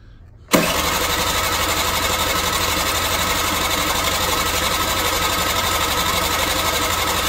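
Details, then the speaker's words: Energy scooter cylinder compression test with a gauge, cranking with ignition on: steady fast cranking, thin even beat; reaches only about 4 bar versus expected 6–8 bar, cylinder likely needs replacing, explaining recent poor running. "ich komme nicht über vier bar da schaut nicht gut aus vermutlich muss ich den zylinder ersetzen das erklärt auch warum eigentlich in letzter zeit so gut wie gar nicht oder auch nur schlecht lief"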